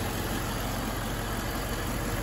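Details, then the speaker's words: Infiniti M45 at idle with AC off: both radiator fans running and accelerating, constant loud roar, staying at full speed even with AC on; failed fan control module. "as you can see this fan is running this one is running too with the ac off and you can hear it accelerating"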